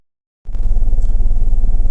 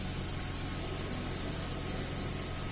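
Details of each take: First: 2010 Mercedes GLK 350 (3.5 V6) with code P0017 (bank 1 exhaust cam retarded), at idle: heavy lumpy idle with a deep uneven chuff. The scanner shows live misfires on cylinders 1, 2 and 3, running on half the engine; a stuck cam timing solenoid is suspected. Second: 2010 Mercedes-Benz GLK 350 3.5 V6 after swapping and cleaning the exhaust cam solenoid (earlier P0017 and bank 1 misfires): steady even idle, no stumbles; running smooth on all six cylinders, no misfires.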